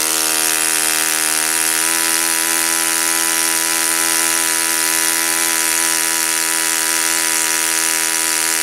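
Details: Saito FA-56 four-stroke glow engine, first run after teardown, cleaning and bearing replacement; moderate-time engine on 12x6 prop, OS F plug, 5% Omega fuel. High steady buzz perfectly even at constant revs, no misses or surging; normal running.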